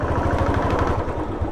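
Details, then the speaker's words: Royal Enfield Classic: fast, heavy low thumps with a loose clatter when the throttle is blipped, present only when revved, not at plain idle; abnormal engine knock, cause unknown. "Fat fat fat fat fat पैसे आवाज ए रही है ऐसे खाली उठाते मैं ए रही है और कब वैसे आवाज नहीं ए रही है"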